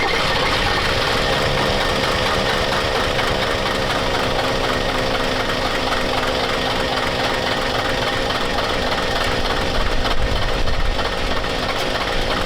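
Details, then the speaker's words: Diesel truck running old, nasty diesel, its fuel pump temporarily wired to run only while cranking: harsh, uneven clatter and rough knocking with white smoke, attributed to a hung-up injector. "we got an injector hung up, but the tranny's fuel fluid, so we're gonna stop there."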